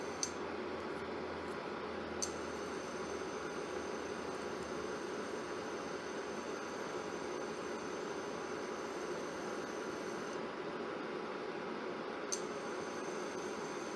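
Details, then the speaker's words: Germanica portable induction cooker set to 800 W: steady fan hiss with soft rapid clicks as the power cycles on and off to hold an 800 W average, drawing nearly 1100 W during the on cycle; this is normal regulation. "you can hear that rapid on off that's how it maintains the 800 average"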